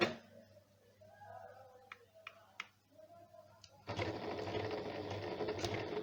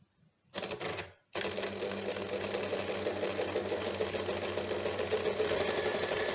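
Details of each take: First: Janome sewing machine after being serviced for a running noise: a quiet start with a few clicks, then an even, steady whir of the mechanism at speed. It now runs smooth and healthy. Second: Janome sewing machine before repair, making noise while running: a fast, even clatter of about four beats a second, louder and rattlier than a healthy machine. The cause is unclear; the repairer mentions tightening something.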